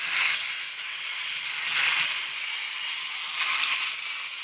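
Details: Alps TV robot after repairing the bad flex drive and brass gear on the picture drive unit: bright hissing whir with a scratchy screech swelling about every 1.5 s as the leg crank cycles the arm against the motor's large gear; normal operation.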